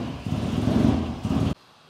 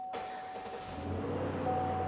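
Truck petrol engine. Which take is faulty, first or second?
first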